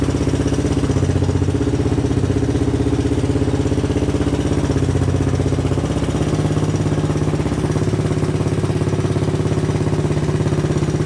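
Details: 1985 Honda ATC 200M single-cylinder on a cheap Chinese carb, first run in a year or two: lumpy thumping idle with light regular ticking on top; front valve noise from valve clearance needing adjustment.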